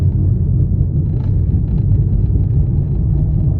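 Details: Vauxhall Corsa C 1.2 petrol, engine off while coasting: deep, steady rumbling grind from a badly damaged front wheel hub bearing.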